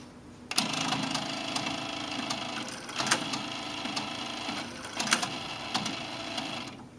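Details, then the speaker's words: Sony TC-KE300 cassette deck (1996 model, this unit made December 1998), after repair of a Sony motor-spindle fault: light motor whir with several sharp clunks as the transport shifts modes; loud and clunky but normal for this mechanism. "Sony cassette decks, they're certainly the loudest mechanisms. I mean, if you've ever heard one, or if you haven't, well, you'll hear it in a moment. Yes, they're the loudest, clunkiest mechanisms,"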